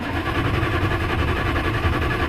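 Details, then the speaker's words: Crank, no start on a 1972 Dodge W100 Power Wagon, 318 V8 automatic, mostly stock: fast, even cranking for a couple of seconds that never fires. Spark plugs were noted loose just before; cause not confirmed. "so the engine didn't start, but let me guys show you what we got."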